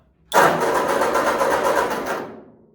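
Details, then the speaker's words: 1946 Ford 2N tractor fitted with new rings and a new coil: about two seconds of steady starter cranking with even compression pulses but no firing; carburettor and points later found out of adjustment, fuel suspected off. "I've cranked on this too much, so I'm gonna have to probably pull the spark plugs and put some oil in the cylinders, because definitely don't want to screw it up."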